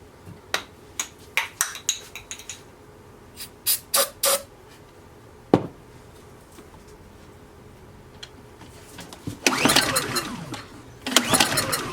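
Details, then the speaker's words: Honda EU2000i generator with air cleaner off and found good: starting-spray hisses, then brief rough bursts of running that die away. It runs only on spray; spark is verified and there is no obstruction, so it is a fuel issue. "so sounded good um and it'll start with starting spray so now we know we verified that we have spark we don't have an obstruction it is it's got to be a fuel issue"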